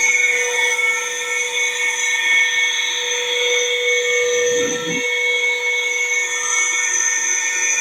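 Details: Kawamoto N3-206SH well pump, flange and accumulator missing, rusty, water suction unverified: shrill steady whine with several high tones over the motor hum, brief rough low rumble midway. Abnormal motor noise.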